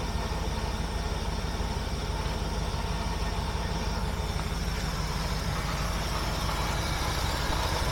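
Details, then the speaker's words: 1976 Mercury revived, after setting ignition timing with timing light, running at low RPM: even steady low rumble at idle with smooth regular beat, no misses, knocks or ticks; much improved. "wow this sounds a lot better let actually have low RPM of course it's a lot better haha perfect"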